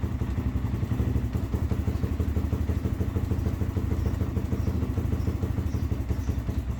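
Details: Z400 quad after one-way bearing and starter replacement, stator reinstalled with new gasket: single-cylinder thumps along at an even idle with no grinding or slipping, checking for leaks and starting issue; starts and runs normally.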